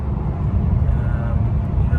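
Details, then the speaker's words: 2011 BMW M3 Competition cruising at about 78–80 mph: even, steady low road-and-engine drone with no beat or shudder and no vibrations. Smooth highway cruise, driveline healthy. "Here's me doing, you know, right around 78 80 miles an hour. Um, no vibrations. Car is cruising"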